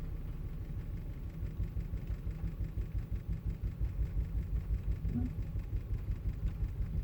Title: Volvo rough idle